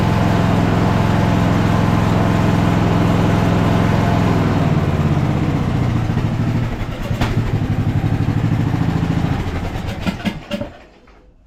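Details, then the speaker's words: 2014 Ariens 42-inch riding mower, single-cylinder engine after the flywheel timing was corrected, which ended the backfiring and fuel loading. An even thump at a steady idle with no misfire, then it winds down at shutoff; runs smoothly, though it still needs carb work. "awesome awesome obviously it's going to need you know some carb work and stuff like that"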